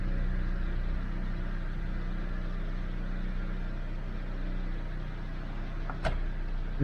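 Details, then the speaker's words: 2012 Dodge Avenger that had gone into limp mode, started after throttle body work: smooth, even low idle hum with steady loudness, no misses, surges or knocks, responding to a little throttle; idling normally. "little gas seems like it's responding"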